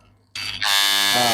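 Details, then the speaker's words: Wahl Legend corded clipper after repair, before tension-screw adjustment: steady even high buzz with no rattle or chatter; earlier loud noise gone, running normally. "Nah, ini bunyinya udah senyap."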